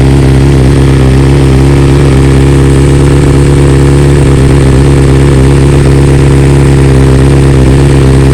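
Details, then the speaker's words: 2020 BMW S1000RR, warm engine, just back from dealer after two coils replaced under warranty and software updated to newest stock version: smooth even inline-four idle with steady low hum, no misses or ticks; normal warm idle. "Well, it's not gonna be a cold start because the bike's warm, but we'll just show you kind of how it sounds."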